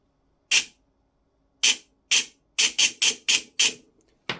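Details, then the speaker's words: Silverback MDR-X airsoft gearbox, bench-run on battery during teardown: short, sharp bursts of high buzzing with a scratchy edge. The scratchiness persists after adjustment, usually meaning the bevel gear is shimmed too low against the motor pinion. "what that usually means especially with you know other gearboxes from different manufacturers is that the bevel gear has been shimmed too low"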